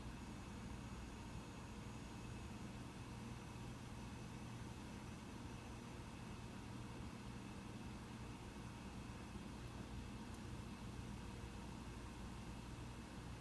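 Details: Mac Pro 1,1/2,1 running a multi-core benchmark: soft, steady whoosh with faint even hum, fans ramping only slightly late, still quite quiet; normal fan noise under load.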